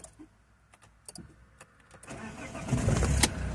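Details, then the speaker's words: Alfa Romeo 159 that cranked but would not start, with "inertial switch intervened" fuel cut message, after resetting the inertial switch under the driver's side: clicks, then it fires and settles into a steady, even run. Normal start. "samochód odpala"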